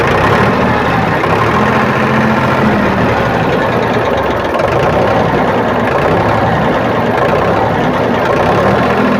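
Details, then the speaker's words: Powertrac tractor diesel after fuel pump drop timing set (one drop in 18 s, 15–20 s spec): even, steady low idle clatter at stated 500 rpm, no misses or surging; normal idle. "तो अभी आप इसका sound सुन सकते हैं। ये इसका ideal RPM है 500, और आइडियल आरपीएम पे अभी ये ट्रैक्टर है।"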